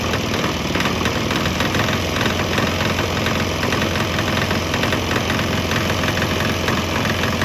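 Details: Swan X 165F Chinese single-cylinder diesel on a 50% used motor oil / 50% diesel mix; steady, even clatter at idle. Earlier bucking and stumbling seemed to clear once it transitioned fully to the mix, and it now idles smoothly.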